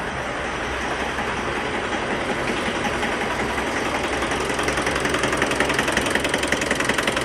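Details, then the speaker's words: Mitsubishi 4D56 diesel with code P1275 and hard, delayed start: harsh, regular knock about three times a second with engine vibration at idle, growing sharper. "اهتزاز يا اخواني بمحرك السياره بالاضافه الى صوت ط طقطقه"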